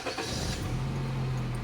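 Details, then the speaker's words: Automatic Honda Accord after repairing a no-crank no-start fault (battery strong): short crank, catches at once, steady low hum; normal start. "Okay. Nung dati mga sir, kahit anong click mo, kahit anong start mo, ayaw. So ayan, okay na to mga sir, solve."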